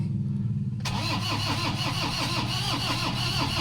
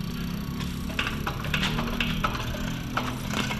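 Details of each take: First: Toyota Hilux 2KD diesel cranks steadily but never starts; check engine light on, scan done, computer box (ECU) said to be the problem. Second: Toyota Hilux 2KD diesel injector on a tester after a no-start with fuel-related code: crisp sharp spray bursts over steady hum, good clean spray pattern, one of four injectors tested.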